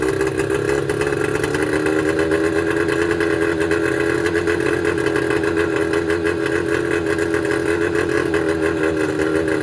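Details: Mercury 25HP two-stroke outboard idling with uneven, wavering buzz; rough idle caused by damaged reed valves, before installing Boyesen power reeds.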